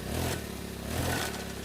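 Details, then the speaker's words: Four-stroke brush cutter revving after a cold start. A rough scraping clatter rides over the engine; the gear head is suspected worn from lack of grease, not confirmed. "แบบนี้สงสัยหัวเกียร์จะไปแล้วนะครับสงสัยไม่ได้อัดจารบีครับ"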